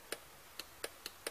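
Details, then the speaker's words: 5 V relay on a breadboard Arduino relay shield, driven by a 5 V signal from a power supply: sharp, crisp clicks a few times in under two seconds, normal switching. "the relay clicking so the next step is to build the real thing"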